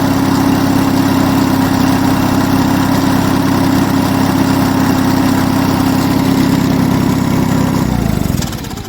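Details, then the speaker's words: Onan US military generator engine, fully warm, runs a steady even firing beat with no misses, knocks or smoke, then winds down at shutdown; mechanically spot on. "Oh, she's beautiful. That runs an absolute treat, and there isn't an ounce of smoke."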